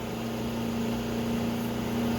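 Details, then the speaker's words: CascadeTek vacuum oven running profile 2 at 150 degrees: steady even hum with constant mid tone, no knocks or surging, as the vacuum pump runs after switching on at the end of the 5-minute soak step. "You can hear right now the vacuum pump just turned on, so the 5 minutes is up."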